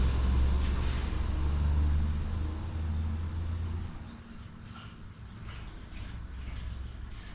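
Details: 2019 John Deere Gator XUV835R, replacement Chery SQR372 engine, during coolant bleeding: low steady idle hum under bubbling coolant, no knocks or misses; normal idle.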